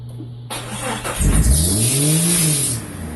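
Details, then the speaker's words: 1999 Jeep Cherokee XJ on first start after 7 months, after header, starter, gasket, thermostat, PCV, IACV and 63mm throttle body work and a firing order correction: the revs shoot up and hang near redline, a runaway high idle on startup. "the issue is is is that now when I start it up uh again the idle is high even higher now it basically wants to Red Line as soon as I start it up"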